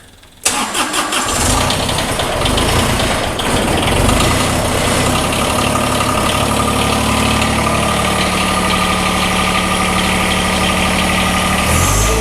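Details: John Deere 1023E sub-compact diesel tractor that stalls only in cold weather, started in the garage during a blizzard: a few uneven, stumbling beats before settling to a steady idle, caused by air in the fuel lines.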